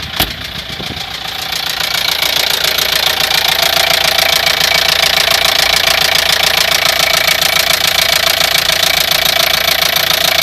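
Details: Opel Vivaro 1.9 diesel (F9Q) with a knock that appeared suddenly at 1500 rpm, independent of engine temperature, timing belt already replaced: sharp, even metallic knock three or four per second over diesel clatter; spun bearing.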